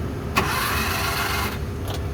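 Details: Suzuki F6A engine in a Multicab that died suddenly while driving, cranking: starter spins fast and perfectly even with no firing or compression pulses, freewheeling. No compression; the timing belt is suspected broken.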